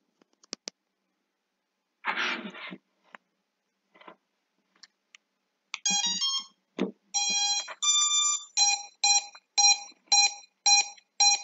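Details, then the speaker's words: Drone ESCs after switching from Betaflight to INAV firmware, throttle at zero percent: repeating high-pitched beeps, about two a second after a startup tone sequence, and the drone won't arm; at one percent the beeping stops and motors spin; cause unknown. "but as soon as i bring them down to zero percent again you have this continuous peeping now if you know what could be wrong please let me know"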